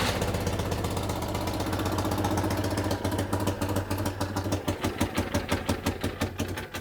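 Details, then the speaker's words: Citroën 2CV flat-twin idling after carburettor reconnected, with the broken exhaust manifold refitted: sharp chuffing puff on every firing, about three a second, from exhaust escaping through the holed manifold pipe, later bodged with aluminium tape and a hose clamp. "we'll reconnect the carburetor up and i think we'll have a trial very noisy run because that just has to be done"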